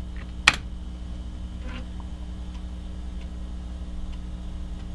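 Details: Amiga floppy drive scanning a bad disk with DiskDoctor: one sharp click then faint regular ticks about once a second over steady hum as the head steps through tracks, reporting hard errors on specific tracks and surface 0. Seeking over bad tracks.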